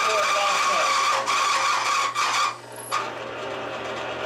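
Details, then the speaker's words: Bearing lubricant test rig with AFO refrigerant oil under rising pressure: fails at 15, locks up at 20–25; current reaches 7 amps from 5.1 unloaded, 103 dB; loud metallic screech cuts off as the bearing seizes, showing significant metal wear. "We can hear it begin to fail at 15. And at 20 it locks up, at 25 it definitely locks up."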